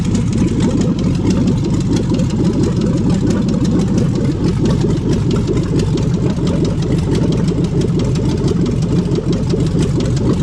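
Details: 5.3L LS V8 for a swap, first start on an engine stand after fuel pump priming: deep, loud V8 rumble holding a steady idle with no knocking or stumbling; normal idle.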